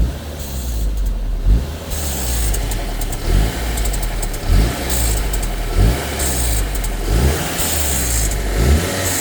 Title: Audi A4 B7 G.H - Rattle noise from turbo waste gate when reving engine